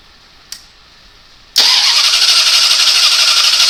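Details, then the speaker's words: 1985 Dodge Diplomat 318 V8 with lean burn electronic spark control, after messing with the distributor and unhooking wires; click then steady fast starter churn about four beats a second without firing, no spark with that unhooked. "Clearly it didn't have spark with that unhooked."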